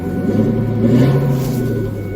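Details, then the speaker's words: Ford F250 with its catalytic converter cut out by thieves, started and revved: deep, throaty roar swelling with revs, far louder than stock, like a hot rod; needs a new converter. "Yeah, that sounds like a hot rod. I'm going to have Challengers and Chargers and all these Hellcats coming after me with wanting to race me now."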